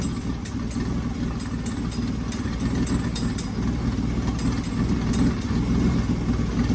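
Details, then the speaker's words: 1995 Ford Taurus 3.8L V6 with big turbo: idle mostly steady with irregular stumbles now and then; running much better but a slight misfire remains. "much better running way way way way better it's still misfiring a little bit but nowhere near as bad as it was"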